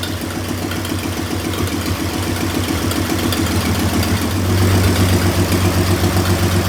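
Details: 1926 Oakland engine restarted after 75 years, with rebuilt generator being hooked up and valves checked at about 0.010 in (warm spec 0.007–0.009): an even, steady idle with a smooth low thrum and no valve clatter.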